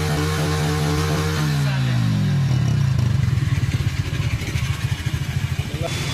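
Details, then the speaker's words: Motorcycle after carbon cleaning and valve work, run without silencer: revs fall from a blip into a loud open-pipe idle with even, steady beat. Normal running. "Silencer ఎక్కించక ముందు ఒకసారి bike start చేసి చూపిస్తా, అలాగే silencer ఎక్కించినాక ఒకసారి start చేసి చూపిస్తా."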